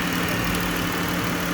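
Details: 3.6 Pentastar V6 after engine replacement following oil starvation: even steady idle with a smooth low hum, no knocks or ticks; healthy. Earlier startup noise was from an empty power steering reservoir.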